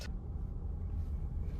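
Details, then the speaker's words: 2022 Kia Sorento driving after removing batteries that had slipped between heating vent and carpet into floor pocket: only soft steady road rumble, rolling noise inside cabin gone. "all right as you can see noise is gone after removing those batteries"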